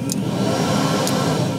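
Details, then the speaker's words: Phantom electric supercharger tested with engine off, after fixing a fault traced to a worn-out battery; smooth, steady whir in two stages, slower then faster, no rattle or grinding; spinning normally. "so you can hear just the electric supercharger spinning by itself"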